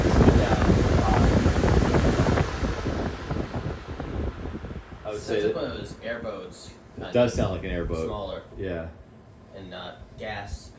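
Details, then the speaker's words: Hampton Bay high-velocity floor fan after cleaning, a few drops of oil, started on medium then shifted to high: loud, steady rushing roar, smooth and even with no knocks or rubbing; running normally. "I like that startup sound. That's just medium. Shifting to high. That is one powerful fan."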